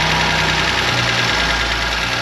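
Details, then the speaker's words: BMW M2 Competition track build, first cold start after transmission and parts install; loud uneven idle with a busy clattery top end and wavering beat, sketchy at first; rough idle. "sounds normal now sound a little sketchy on the first startup but she's running a little rough"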